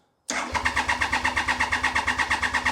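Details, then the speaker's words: 1993 Triumph Trident 900 after sitting 5 years, cranked without fuel to pump oil around. Quick, even cranking at about seven pulses a second, crisp and unflagging. The starter and battery are healthy. ">> Battery sounds healthy. >> The battery is very healthy by the sounds of things."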